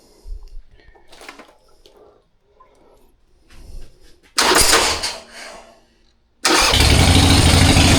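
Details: 1999 Harley-Davidson Sportster 1200 with S&S Super E carburetor, after cleaning and replacing the accelerator pump (previously sputtered on throttle), started in neutral with choke: short start then strong steady loping V-twin beat, no sputter. Normal idle and revving.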